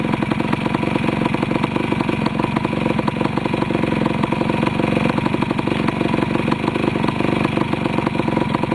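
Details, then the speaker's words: Restored 1973 Yamaha CT175 two-stroke with rebuilt carburetor, just started: crisp, steady idle with even rapid popping that never falters; clean, settled running, owner's best-starting machine. "this is one of my better starting machines in my house I don't think I've got anything that starts as well as this does"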